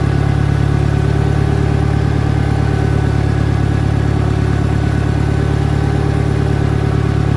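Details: 1963 John Deere 1010, original and properly maintained, third gear on a backyard lap, needs valve seals; even low drone pulsing about four per second with only a mild gear hum. Normal transmission gear noise.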